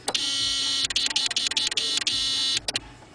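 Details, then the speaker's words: 2000 Saab 9-3, key in run position: fast, uneven buzzing chatter from a relay under the dash cycling on and off; clicking stops in the start position; car won't start. "all right I got a 2000 Saab 9-3 I got a click and relay down here under the dash right now it's in the off position I'm going to switch it over to the on position you'll hear the clicking and"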